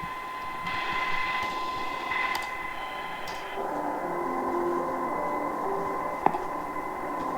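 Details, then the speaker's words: Sangean ATS-909X2 radio on telescopic antenna, compared against a Tecsun PL-990X: steady high whistles at fixed pitch over the hiss that don't track tuning and aren't fixed by changing bandwidth; suspected internally generated interference lines. "now unfortunately you hear that [Applause] [Music] i have no idea what that is oh no it's some type of internal lines"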